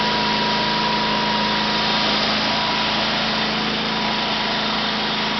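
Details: Sears SS/16 garden tractor, 16 hp opposed-twin Onan engine running off a temporary gas tank with clean fuel line, out of gear at full throttle: steady, even high-revving drone with no knocks or misses; running normally.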